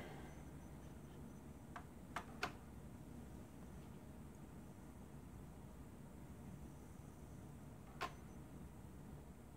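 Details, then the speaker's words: Dell Vostro 2520 laptop, partly disassembled, stuck in a power cycle after a forced 4-second power-off; low steady hum with a gentle click about every six seconds as it restarts, no POST or screen output. "then the ways you hear clicking if you hear it I don't know it's the hard drive being checked and there is nothing coming up on the screen at all"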